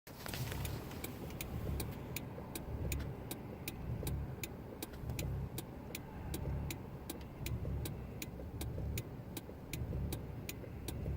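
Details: Engine idles rough, lumping and dipping unevenly about once a second over a faint steady clicking; cause not evident.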